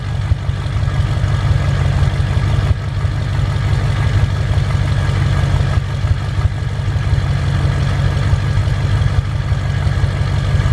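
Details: 2007 Ford F-350 diesel just after a cold start at idle, owner reports deep throaty sound then a jet-like turbo whistle after about a minute plus a low boost code (EGR or wastegate suspected): steady deep idle with faint high whistle, described as its usual sound.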